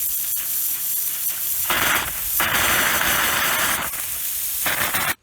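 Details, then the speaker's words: Orchard drip irrigation first run of the season: loud steady rush of air surging then cutting off abruptly as the last riser is opened to bleed air from the main manifold; normal purge. "now this is the last riser in the whole place and i'm going to open of air it now water and i want to get as much of the air out as i can from the main"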